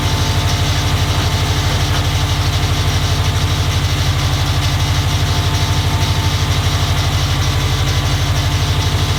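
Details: Subaru STI engine first start after drivetrain swap with new downpipe and catback exhaust, warming up: steady even idle, regular low pulse about three beats a second, no knocks or misses; AFRs decent, oil pressure good, healthy.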